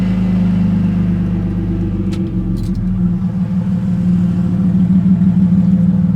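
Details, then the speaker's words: Car with half the exhaust missing, flywheel still to be machined and new clutch pending; loud, raw, steady open-exhaust idle rumble firing evenly with no misses or knocks; idling fine. "So, after a log struggle, we got her starting. Sounds all right as well."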